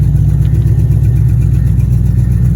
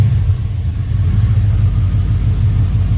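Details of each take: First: Impala SS LT1 350 V8 after vacuum leaks were fixed; RPM drops when the wheel is turned. A heavy idle rumble carries a faint, regular puffing hit. Ticking at idle, owner suspects a remaining exhaust leak. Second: Chevrolet Impala V8 after fixing multiple vacuum leaks: low, steady, even idle around 800 rpm, no bouncing, miss or hiss; exhaust leak still unrepaired; normal healthy idle.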